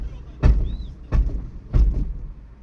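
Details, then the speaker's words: Fiat Doblo 1.3 (likely Euro 5), 80,000 km: three heavy dull thuds as throttle is pressed and released on pull-away and in second gear; worn gearbox mount letting the gearbox strike. "feci bir şekilde kalkışlarda ve ikinci viteste ayağın gazdan çekip bırakmalı feci bir ses geliyor"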